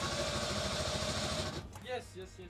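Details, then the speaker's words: Vespa 400 twin, barn-stored 30 years, started after reconnecting a loose ignition cable. Rough, uneven popping about 1.5 seconds then dies. Only one of two cylinders is firing; one is hot, the other cold. "Okay, we got one out of two. All right, it's a beginning."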